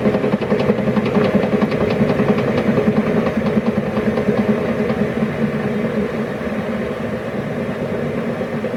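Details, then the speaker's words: Nearly new YardMax YW7565 chipper (under 4 hours use, greased, oiled) as cutting wheel coasts down, also spun by hand with plug off: sharp clunk once per revolution, slowing with the wheel; owner suspects warped wheel or bearing problem. "i'm gonna unplug the spark plug and just do a manual spin and you can hear the same sound clunk so it's every sort of one full revolution it makes clunk i'm not sure whether that's just a normal thing or not"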